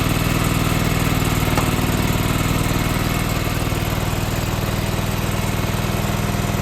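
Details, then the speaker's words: John Deere 425 garden tractor, sat for years, new starter, fresh gas, first ever start with no choke or throttle adjustment: steady, even chug about four pulses a second, no misses or knocks; engine runs on its own. "well I've got to say I'm extremely surprised that was honestly the first time I've ever even tried to turn that thing over"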